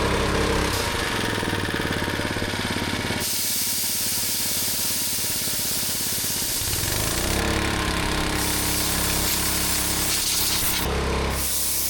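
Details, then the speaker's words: Rebuilt old gas-powered air compressor running at full pressure, even engine chugs with pump pulses and bursts of air hiss while pressure is released; it works properly, with a slight leak only when the pressure is high. "So this is working exactly as it should now. You can hear a slightly leak."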